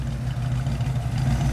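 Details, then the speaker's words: 1976 Ford Bronco original survivor, V8, no smoke. A deep, even low rumble with a steady beat and no knocks or misses: a smooth, healthy normal idle. "I just can't get over this little Bronco even sounds good"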